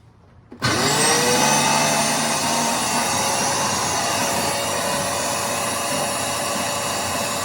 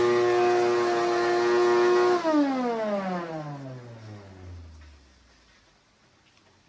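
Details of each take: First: Shop vac motor spins up fast with a high whir and a rough grumble from worn motor bearings/bushing; it spins freely with low resistance because the radial fan is loose, causing no suction. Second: Shop vac after motor bearing fix and radial fan repair for no suction, tested outside: clean steady motor whine for two seconds, then smooth falling coast-down, no rattle or grind; normal motor run.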